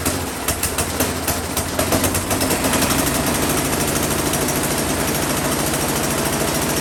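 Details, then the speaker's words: Husqvarna 10530 SBE snow thrower, sat about four years, first start; small engine pulses unevenly, speed rising and falling, hunting and surging, better at full rpm; suspected clogged carburetor idle circuit, later a plugged passage suspected. "Kind of hunting or surging, I think probably the idle circuit in that carburetor is what I'm going to guess is maybe needs to be cleaned out. At full RPM, it ran a little bit better."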